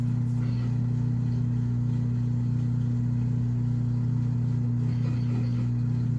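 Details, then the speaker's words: Washing machine on spin cycle under repair: drain pump now switches on and pumps out, though the drum still does not spin; steady low electric hum, even tone; normal drain pump operation, previously the pump would not come on. "hear it draining for sure. So, it's definitely draining. And before that drain pump was not cutting on like that."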